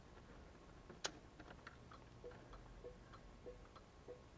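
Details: Car hazard flashers tested after digital dash wiring install, key in run: quiet, evenly spaced ticks about every 0.6 seconds in a still cabin; hazard flasher cycling normally.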